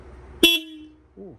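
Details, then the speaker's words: BMW R1100RT motorcycle during rebuild, electrical check before cranking on a weak battery: a short, loud, clear horn blast of steady pitch and full volume; the horn works properly. "man, we have horn. We have hornage. All right, so that works."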